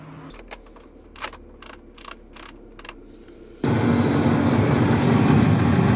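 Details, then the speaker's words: 2010 Audi A6 AC/heater blower fan: after a few clicks it runs with a loud, rough, steady rush far louder than normal airflow, from leaves or dirt inside the blower or a failing blower motor needing replacement; noisy blower fan. "هذا الصوت هو بسبب انه في اوراق او اوساخ بتكون داخلة على مروحة التكييف، او بتكون مروحة التكييف خربانة وبدها تغيير."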